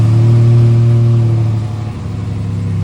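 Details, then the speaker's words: Car just started after sitting a long time, kept on a battery tender: strong steady low drone settling smoothly after a couple of seconds, no knocks or misses; normal idle after cold start. "Thing's still sounding good."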